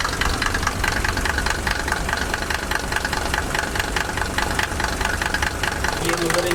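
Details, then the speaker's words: Mercedes W124 diesel at idle after the serpentine belt squeak was fixed; sharp, fairly regular ticking about twice a second over a rough idle, injector clatter; owner plans laboratory tuning of injectors, expected to quieten it and reduce smoke. "Injector की आवाज है जो कि हम थोड़े से tune करवाएंगे। मतलब वो लेबोररी से फाइन ट्यून होते हैं तो थोड़ा स्मोक भी कम हो जाएगा जो मैंने सुबह दिखाया आपको और यह आवाज भी बिल्कुल मध्यम हो जाएगी।"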